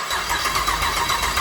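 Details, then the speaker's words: "Mini Mog" project with a 6 L LS V8, first start on the engine crane with temporary battery wiring, ECU and headers fitted upside down: the engine fires at once and runs with a quick, even exhaust beat, no misses or knocks. "So when I touch this to the battery, it starts. It lives."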